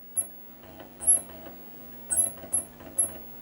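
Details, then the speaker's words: Amstrad PC1512 floppy drive stepping while booting from copied system disks: quiet head-seek clicks with dry, high chirping squeaks a few times a second. The owner suspects it may need lubricating; the drive still works. "making white noises slight squeak as a drive Muse maybe it does need"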